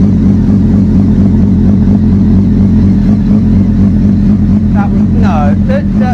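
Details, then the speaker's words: Triumph Daytona 600 with an injector fault code: idle rises and dips roughly twice a second, hunting; owner suspects uncapped holes under the airbox are drawing in extra air. "I think they need to be capped off cuz it's it's sucking in more air from that than it does through here."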